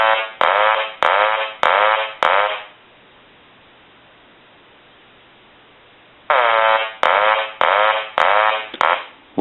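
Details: Hand-painted wooden duck novelty telephone rung after repair, eyes now lighting as they should; loud nasal quacks about a second apart in runs of five, pause, repeat; ringer working properly.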